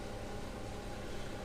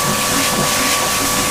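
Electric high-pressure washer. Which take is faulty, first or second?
first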